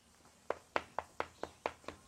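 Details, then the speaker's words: Eight sharp taps on wall render in a quiet room sound hollow and papery rather than solid; the render (martob) has not bonded to the wall. "Ça là, ce que tu entends, ça veut dire que le martob, l'enduit, il tient pas. Ça sonne creux."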